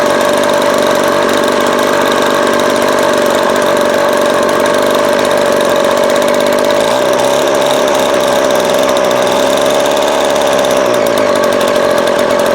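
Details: Vintage Craftsman 22.2cc 14-inch two-stroke string trimmer, estimated early-to-mid 1980s, original spark plug and fuel filter, fuel line replaced and carb cleaned; high, steady buzz at even pitch, no misfire or surging; runs healthy.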